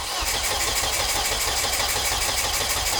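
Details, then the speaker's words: Volvo S40 with Holset HX40 turbo on new Speeduino ECU, fuel pump re-pinned to ECU with 120 s prime: steady cranking about three beats a second, never fires; injectors firing but timing strobe dark because ignition coils weren't grounded. "so injectors are now firing is the oh i know why i know exactly why the um strobe isn't strobing is it no no because the coils aren't grounded"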